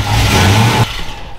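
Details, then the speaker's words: Dodge Coronet big block: deep, strong rev that holds steady and drops back cleanly with no stumble or popping; engine running healthy. "all right i'm happy with that that sounds like a big block out of sound good"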